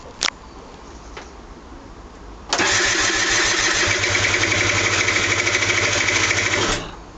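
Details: Aprilia SR50 DiTech scooter cranking steadily for about four seconds without catching; it won't start. Trouble began after the mixture screw was tampered with and the screw is now missing. The spark plug was cleaned but turned black again a day later.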